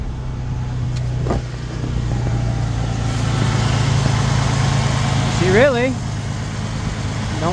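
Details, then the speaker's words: Ford Bronco under restoration, started after sitting a long time, with fresh gas, fuel additive and new radiator hoses: steady, even low idle with no lifter tap or ticking; normal idle. "sound too bad considering I've been sitting a while. I expected a little bit of lifter tap or something, but really sounds pretty dag good."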